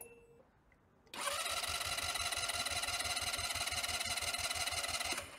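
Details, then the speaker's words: Sym Jet 14 fuel-injected scooter with starting trouble and rpm fluctuation, battery charged to 13.2 V, compression test while cranking: even pulses about three per second; 9 bar, not great but within normal 8–12 bar range. "9 bar nicht überragend aber ausreichend zwischen 8 und 12 bar ist der Normalbereich"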